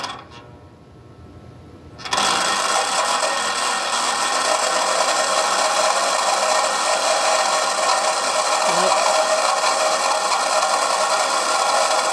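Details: Model train turntable, believed 1990s and never used, spinning with a Delaware and Hudson 2-6-0 Mogul on it: steady buzzing whirr with rough, uneven rattle; gears sound noisy, possibly dry.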